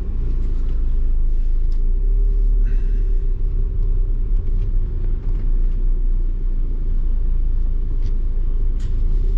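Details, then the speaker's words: VW Passat B7 2.0 TDI CR, cold first start after dual-mass flywheel replacement and fuel system bleeding: it catches with a slight stumble, then a deep, steady diesel idle with no flywheel rattle. "No z lekkim zająknięciem, No na razie jeżeli chodzi o dwumas to jest cisza."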